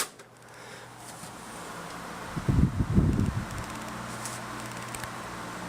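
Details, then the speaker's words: Galaxy 2150 12-inch oscillating table fan, probably mid-1980s, flea market find: soft even motor hum with brief clatter as speed is adjusted to medium, slight thumping on oscillation, then quiet steady running; healthy fan. "pretty quiet it's from the early late 80s probably the mid 80s"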